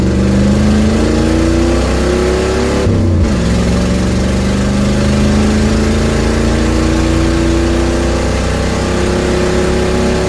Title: 1972 Ford Mustang with exhaust leak